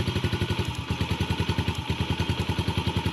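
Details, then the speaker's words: 2019 Yamaha TTR50 idling: single-cylinder thumping about three beats a second with a brief stumble where it nearly cuts out; the spark plug boot end is arcing against the engine. "hear the bike cut out so what I discovered was the end of this boot right here is shorting out against the motor"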